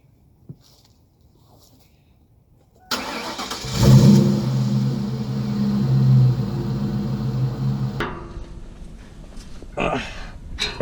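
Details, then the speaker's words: 1999 Ford Mustang GT V8, not a cold start, with the old Flowmaster mufflers that have two visible holes and broken internals: the starter whirs, then a loud, raspy, deep blat settles into a rough idle. Damaged muffler. "So, I don't know how well this is, but you can see that there's two holes in the muffler."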